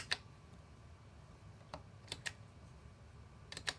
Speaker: oh there it goes now I hear the relay do you hear it